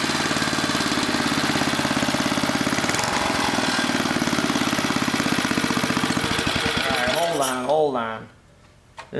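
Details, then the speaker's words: Old 1980 rototiller small engine, steady rapid chugging that surges and sags near the end; the bent, distorted throttle link is hanging up and the cable is creeping, so the mechanic tries straightening the link and tightening the cable. "link is hanging up that's part of our problem why it keeps going crazy because somebody was in there bending on it got it all distorted"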